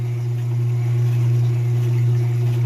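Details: Whirlpool washer with a bad, intermittent lid safety switch; here the drain pump has finally started. A steady low electric hum holds an even pitch as the pump runs normally and pumps the water out.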